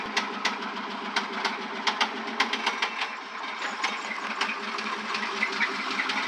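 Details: 1996 Chevrolet Suburban 5.7 V8 at 160k miles, idling with a sharp, irregular knock over a low hum: suspected rod knock after the engine blew up; owner unsure whether low oil pressure caused it.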